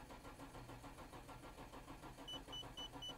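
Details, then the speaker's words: Nissan GT-R Nismo, about 150,000 km, unused roughly 23 days, battery flat even after a brief charge: the starter turns over slowly and unevenly, about three turns a second, slightly stronger than before, and the engine never catches; the battery is too weak. "さっきよりからちょっとせるもあったけどねさっき言わせるちょっともありましたということで"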